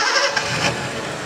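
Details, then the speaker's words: Datsun 280Z six-cylinder with two spark plug leads wrongly swapped between cylinders: it catches and revs but runs lumpy and uneven as those cylinders fire out of turn; misfire from crossed plug leads. "it start up, it revs and its running coz problem wasss we wrongly connected spark plugs XDXDXD We switch two cylinders so it have no chance to run."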